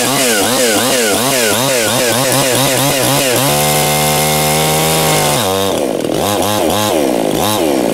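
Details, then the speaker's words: New Anbull chainsaw breaking in, chain brake engaged while throttled: pulsing snarl then steady high drone; the saw has enough power to overpower the chain brake, so the chain keeps turning; brake slipping. "so it's interesting this saw has enough of power to um overpower the chain break but you know if that engages you know you're pretty much off the throttle eventually"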